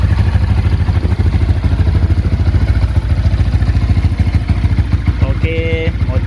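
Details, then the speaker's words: Yamaha Exciter/Y15ZR after a workshop service with a TPS fitted, before dyno: deep, even thumping idle with a steady pulse and no knocks or misses; runs smoothly. "motor dah ready. Dah hidup dah."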